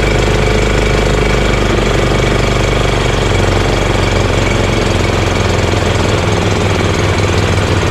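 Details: EZGO Workhorse golf cart with Honda GX340 single-cylinder: idle turned down low, loud steady chug with no misses or surging, though still engaging the belt. Normal idle.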